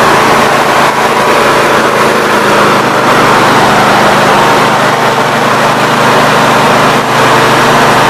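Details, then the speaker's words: Snapper NXT 25-48 riding mower engine after carburetor replacement, test-run with the cooling cover off: catches and settles into a steady, even run with no misses, surging or knocks; normal running. "okay everything seems to run out we will get it the rest away together and see how it runs out"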